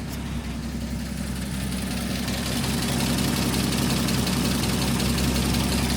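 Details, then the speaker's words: 1949 Chevy FleetLine 216 cu in engine at idle after PCV install and exhaust leak repair: steady light ticking near four a second, slightly louder as it settles; owner suspects valve train needing valve job, possibly water pump. "Sounds like it may need a valve job. My water pump also may be not happy. It's a little ticky under here, but not bad."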